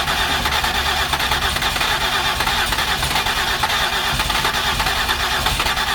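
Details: 2008 Ford Escape no-start with previous repairs, cylinder 3 compression about 145: long continuous cranking with harsh churning that seems to want to catch but never runs; cranks but won't start.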